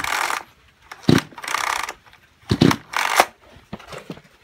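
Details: Kyoritsu chainsaw of unknown junk condition, tagged seizure and low compression: repeated rasping recoil pulls, each a short whir with no firing or catch; cranks but will not start, cause suspected not confirmed, overhaul being considered.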